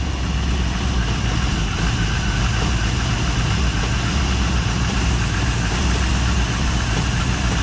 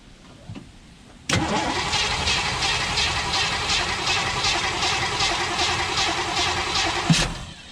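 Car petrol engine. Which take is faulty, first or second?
second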